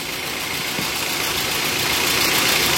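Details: Toyota Avanza idling with the fan belt driving the alternator, water pump, AC compressor and two tensioners: a steady, even idle with a smooth belt whir and no knocks, squeals or misses; engine and accessories healthy.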